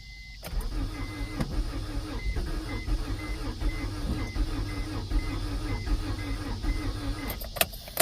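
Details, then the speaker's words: 1992 Acura Integra, sat over 5 years; new distributor and starter fitted. Starter grinds in slow, uneven, dragging bursts as the battery runs low; engine turns but never catches. Fuel gauge just started working; owner suspects no fuel pump. "She wants to run. She wants to run so badly."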